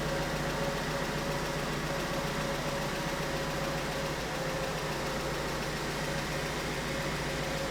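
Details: 2008 BMW 1 Series E87 with N43 125 kW petrol engine, idling: uneven stumbling beat, pulses not quite steady; constant misfire giving a rough idle, before diagnosis.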